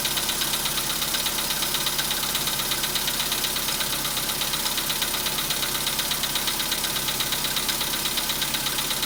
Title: СТУК ДВИГАТЕЛЯ НА ХОЛОДНУЮ POLO SEDAN 2015 ГОДА ПРОБЕГ 91315